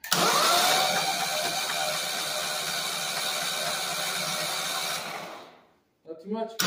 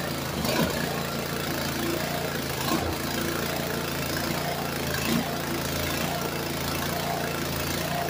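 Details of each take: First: Walk-behind brush mower engine after sinking in a pond, drained, new oil, spark plug removed: even fast whirring for about five seconds as it spins with no compression, then winds down; turns freely, nothing binding. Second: Walk-behind brush cutter that sank in a pond and was dragged out by tractor, with water likely still in the carb and tank: small engine runs unevenly with surges and dips every couple of seconds, won't idle; owner suspects torn-up linkage limits throw.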